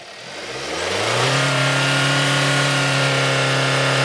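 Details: 2020 Hyundai Tucson 2.4L, diagnosed for code P1326, flashing check engine light and no revs above 1000 rpm. Engine revs smoothly from idle to high rev with an even rising tone, no stumble, knock or hesitation.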